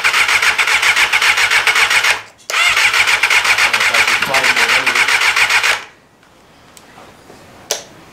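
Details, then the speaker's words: 1988 Kawasaki ZXR250 road bike, first start attempt of a rebuild on bigger jumper leads, connections unchecked and no spark seen: starter churns about four beats a second with only a faint cough, then stops; cranks but will not start. "Not seeing much. I don't think we're getting any spark."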